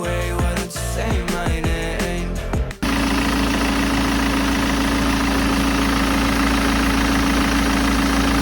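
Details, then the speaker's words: BMW 320d E90 with the M47 diesel after the tensioner and pulley were cleaned and re-greased and the auxiliary belt was refitted. A steady, thin squeal remains over the idle, though reduced; only partially fixed, and the tensioner is still suspected. "Apparently, we have partially solved the problem. The noise has been reduced quite much."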